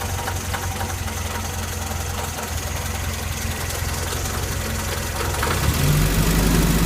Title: Engine knock